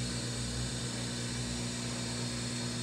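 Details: Whirlpool Duet washer after drain pump replacement to fix F21 error code: even low hum with steady rushing whir, no grinding or rattle; drain pump running normally, drum draining; normal draining.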